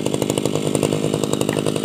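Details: Tabata brush cutter two-stroke engine, over 7 years of daily use, original block and piston, two rings recently replaced and piston decarbonized, damper replaced: steady, even high-revving buzz with crisp regular firing, no misses or rattles, under light cutting load; normal running.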